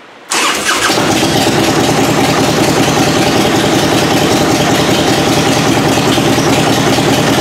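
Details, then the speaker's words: 1994 Harley FLHTCU V-twin after a carburetor rebuild, in neutral with choke on and old oil, cold at about 45–50°F, no mufflers. Catches at once into a fast, loud, uneven idle with slight backfire; oil light out, charging, runs clean. "but she runs man sounds good uh yeah no motors on it so it's a little loud"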